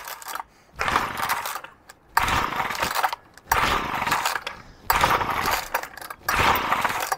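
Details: Old basic two-stroke pull-cord strimmer, unchoked, with a faulty choke system: repeated short buzzy bursts of catching then dying, about one every 1.5 seconds, and it won't keep running; hard starting.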